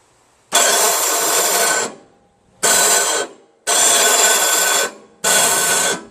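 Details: 1972 Jacobsen Imperial 26 snowblower with 7 hp Tecumseh engine: electric starter gives four hissing whirs of about a second each and the engine doesn't catch, because the starter gear is stripped; the carburettor also needs cleaning.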